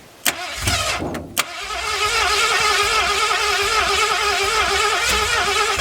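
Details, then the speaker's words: 1981 Mustang 5.0 302 automatic, first start after about 30 years parked, 14-year-old oil, about 50 psi oil pressure, no radiator fitted: catches and runs steady and quiet with no knocks; healthy, low-mileage engine. "She's tight. It sounds like a fairly new engine. I think the guy was right. Said it didn't have very many miles on it, but it's a good sign with old oil."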